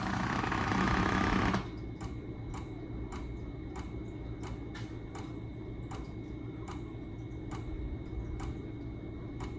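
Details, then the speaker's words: OKUP M80-A dual-motor electric office chair footrest already fully raised: low motor hum with even ticking about four a second as the actuator keeps pushing past its end stop. "But right now, it's up all the way, as you can see, right? But I can still hear the motor trying to push it up more because it doesn't know it's all the way up,"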